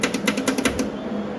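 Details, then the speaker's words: Welder contactor gives quick sharp clicks, then only a steady hum with the wire not feeding; the feed stays still even with the tensioner loosened; it has a temperature light and reset button; cause unknown. "But my welder has stopped working, and I don't know what's going on. Clicking. You hear the contact we're making,"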